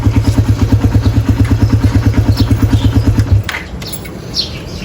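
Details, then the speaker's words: Raider 150 carb single-cylinder motorcycle before oil change: steady idle with regular light tapping about three times a second from the head, then cuts off; noise goes away when warm; cause unconfirmed. Top-end ticking. "Mas malakas. Ito medyo okay pa, pero may problema na rin to."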